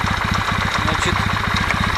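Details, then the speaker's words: Kawasaki W650 twin, warm at normal operating temperature (quiet when cold): steady light metallic tok-tok at idle in time with the engine; owner suspects camshaft drive gear mesh, valves ruled out. "слышно вот этот звук а мог слышите ток ток ток ток ток ток ток"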